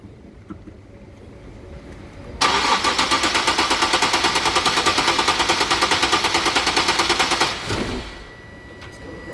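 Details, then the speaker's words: 2013 Nissan 370Z, 151k km, during maintenance with the fuel line possibly still filling: starter churns steadily about three beats a second for roughly five seconds without catching; cranks but won't start, owner suspects it needs tuning. "Leave it. Turn it off. Ignition off. It won't going to start. They need to tune it."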